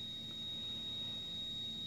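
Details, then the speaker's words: Wolf 48-inch gas range oven burner on: loud steady high-pitched whistle at one pitch over soft burner roar; whistling, technician blamed high gas pressure and lowered it, which didn't help; cause unknown. "person who came here to repair the said it's high gas pressure and he lowered the pressure from the gauge however that didn't help at all"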